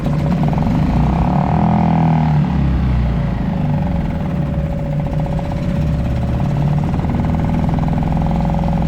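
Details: Suzuki 2.5 HP DF outboard, long shaft, in neutral in a 5-gallon water bucket, oil at bottom of sight glass after a low-oil-sensor no-start: single cylinder idles with an even, rapid, steady putter, no misses or knocks; healthy.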